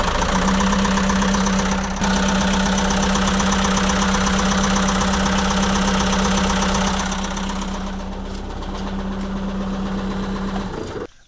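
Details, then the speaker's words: ~2006 JCB 180T compact track loader diesel at steady, loping idle near four beats a second with faint hum; injector-line cracking test shows one cylinder unchanged when cracked, others worse, so it gets fuel but isn't burning it. "that just told us that that cylinder has a problem with it because I cracked the injector and it didn't make any difference no different sound but all three of these other injectors cracking those made it run a lot worse"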